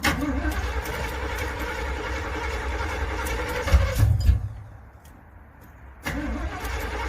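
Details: Starter cranks the Z28 engine over at a steady rhythm for a few seconds, but it never catches and runs; a crank-no-start.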